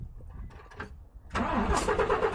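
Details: DAF XF diesel truck non-starter with coolant pressure, kickback and cam/crank sync faults: starter churns steadily with number three injector line blanked but engine never catches.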